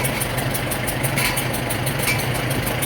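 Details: 1947 Farmall M tractor after engine rebuild, first runs: steady, even idle with regular low pulse, no knocks or misses; known muffler leak, engine healthy and strong.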